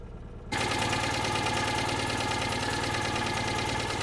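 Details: Small car running again after five months laid up: it catches and settles into an even idle with a light tick on top. This is slight tappet noise.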